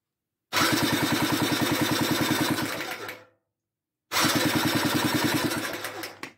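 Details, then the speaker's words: Homemade buggy with an RM 85 engine, pinion added to stop the chain jumping: two bursts of rapid even clicking, about ten a second, during kicks; the kickstart ratchet skips because a gear was reassembled wrongly. "le bruit qu'on entend, c'est le cric. Parce que j'avais mal remonté, il y a un pignon qui saute."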